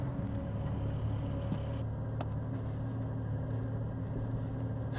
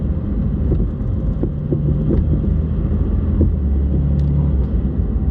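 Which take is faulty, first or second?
second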